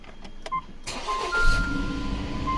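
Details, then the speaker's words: 2018 Jeep Compass 2.4L with two batteries, switching to the small auxiliary battery during cranking: sharp relay clicks, then a rough crank as the weak auxiliary battery's voltage drops; start-stop light on with P00FD battery B state-of-charge code. "You see that weird click that we just had? That weird click was because this dropped down too"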